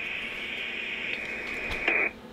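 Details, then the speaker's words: Rohde & Schwarz EK070 shortwave receiver self-test in SSB upper sideband; faint steady hiss with thin tone, then a sharp quarter-second noise burst in the speaker. Self-test passed normally. "the second is a noise signal is generated which can be heard in the speaker for a second"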